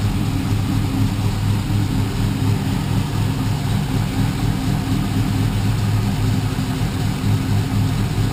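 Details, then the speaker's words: G-body car with LS3 525 V8 swap, exhaust pipes from motor to mufflers still needing rework: deep even burble at about two pulses a second, no misses or knocks; normal idle. "Very, very smooth. No problems at all."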